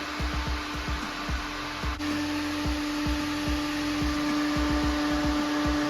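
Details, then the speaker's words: Electric radiator fan on a 1974 VW bus with Subaru engine and belly radiator, battery-powered and pushing from the top, fan test after engine-bay radiator overheating; steady even hum at one pitch with light ticking, blowing strongly, running normally. "man it's blowing really good that's push your fan from the top singing away here yeah sounds good"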